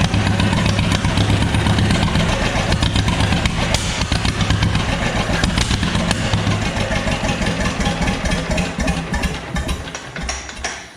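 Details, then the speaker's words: John Deere B, serial 147828, two-cylinder, start on choke in neutral without radiator; uneven loping putter about four beats a second then winding down; oil gauge showed no pressure, owner suspects too little oil; normal running. "oh that turns over nice now yeah i don't know why unless i just didn't have quite enough oil in it"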